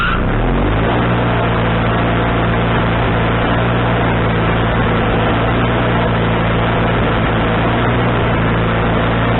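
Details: Wood-Mizer LT40HD sawmill engine with a newly replaced carburetor, mixture screw set three turns out, not sawing: brief rev at start-up, then a steady, even drone with no surging or missing; owner thinks the tuning is now right.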